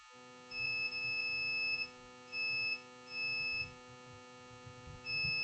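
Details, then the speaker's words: HP EliteBook 820 G3 water-damaged motherboard, no power: clear high-pitched continuity beeps in short bursts as the meter probe touches pin two of four pins on the 19 V power line; pins connected as expected. "You hear the sound of the beeping sound. You see this? Pin number two."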